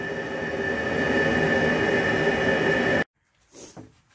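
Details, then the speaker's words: Diesel heater temporarily wired up at a cabin, kicking out a lot of heat. A loud steady roaring rush with a fixed high tone lasts three seconds, then cuts off: normal running at full heat. "Well, it sounds like a jet engine taking off. Which is exactly what it should sound like"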